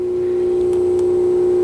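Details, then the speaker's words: Yamaha Zuma fitted with a 158cc big bore kit (new piston rings, timing chain, valve lash), on its first test start with a low battery on jump-start mode. With the ignition on and the engine silent, a steady mid-pitched whine is the fuel pump priming normally. "hear the fuel pump oh there we go"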